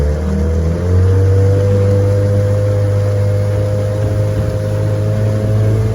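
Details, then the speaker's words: 1968 Evinrude 9.5 HP vintage outboard on a lake test run after repair: steady, even two-stroke drone with no misses or knocks; starts on a pull and runs great, healthy normal running. "so uh I've been running her she runs great let's give her a pull and see if she'll get started and take off for us"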